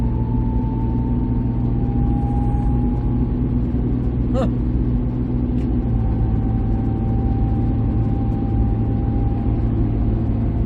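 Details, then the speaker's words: 2008 Mercury Mariner on the road after steering shaft and steering box replacement: deep, steady low growl from underneath under road noise at constant speed, source unknown; steering now fine. Growling noise while driving. "huh well that kind of bites I don't know what all that noise is"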